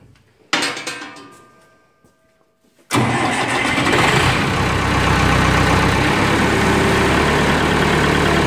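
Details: Massey Ferguson 180 diesel tractor after running out of fuel and bleeding the fuel lines: short crank catches at once and settles into a steady, even diesel run with no misfire or stumble; healthy start.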